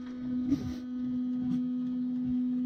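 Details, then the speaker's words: Supercharged Nissan VK56 V8 in a Nissan Gloria with Link ECU, fuel pump: steady low buzz with no spin-up, pump seems to buzz the stator without turning much; cause suspected, not confirmed. "It sounds like it's just buzzing the stator and not actually turning it very much at all."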